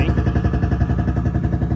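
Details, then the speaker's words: FV432 APC running for the first time in 13 years, idling while it warms up: deep, lumpy idle with an uneven pulse and heavy low thump, not running properly; an injection pump element is out of timing. "That could just be being weird, but I don't think that's running quite properly."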